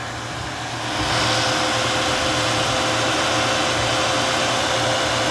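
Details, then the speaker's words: 1988 XC, 3.8 "red dot" V6 (150 hp), cold start, hood open: note lifts at the kick down, then holds a steady even idle with fan-like air rush and no stumble; owner notes a misfire pending tune-up. "and if you wait two seconds and there you go there's the kick down so now we're a good idle"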